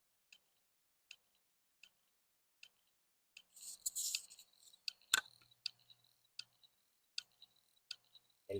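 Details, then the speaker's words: Old mechanical hard drive powered on with jumpered connector, opened for teardown: sharp, evenly spaced clicks about every 0.75 seconds, the hard drive click of death. "Este es el es el clic de la muerte de los discos duros mecánicos."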